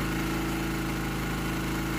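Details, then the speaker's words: Generator with its speed set to about 60 Hz at no load, then put under a 1500 W toaster load: the drone turns heavy and labored with a rough undertone. Output sags to 117 V and 54 Hz, so the engine bogs because the governor speed setting is too low. "as you can see i am dropping big time so i'm now up to 1500 watts 117 volts i know it's hard to see and i am at 54 hertz so that is not good"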